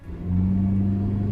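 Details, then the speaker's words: 1998 Honda Civic on a test drive after two months of stalling, traced via the "haunted tachometer" symptom to a replaced part: steady, even low hum with no misses or surging, holding speed cleanly, now running normally. "once I took it for a test drive the car finally drove the way it should and trust me man I was so relieved"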